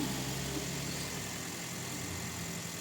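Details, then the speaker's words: Toyota Vios after oil change with engine flush: steady, even idle hum with no ticking or knocking; the earlier ticking (lagitik) is gone and the engine is quiet. "Sabi ko nga kay customer, oo ayan, tumahimik na yung makina, nawala na yung parang lagitik."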